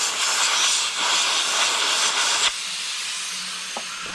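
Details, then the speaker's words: Pay loader air brake system pressurized with shop air, engine off: loud continuous high-pitched hiss of escaping air, a sizeable air brake leak. "okay so let's airp the system and look for leaks or listen for them we can tell mechanically a huge leak"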